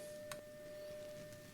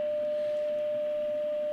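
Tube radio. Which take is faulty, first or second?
second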